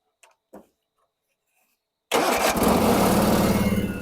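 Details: Garden tractor with a Kohler Twin Series 2 engine, recently restored and serviced, on a cold start: brief crank, catches straight away and settles into a steady, even idle of about four beats a second. Normal cold start and idle.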